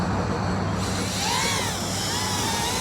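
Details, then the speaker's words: Mobula 8 frame FPV quad on 1003 14800kv motors with 2015 two-blade props, Betaflight master multiplier 1.0 after RPM filter tuning: steady high whine gliding up and down with throttle, no rasp or jitter; smooth motor running, no oscillation. "this is what 1 sounds like. Gonna move back and forth. Pretty damn smooth."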